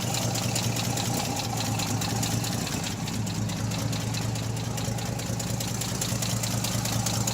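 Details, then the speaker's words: REO M-35 military truck idling after head gasket replacement, same camera as earlier clips: steady, even idle with a firm low thrum and light upper-end valve clatter, sounding much like before the gasket failed; misfire less pronounced. "And you can see here that it sounds a lot more even. It sounds pretty much the same as it did before."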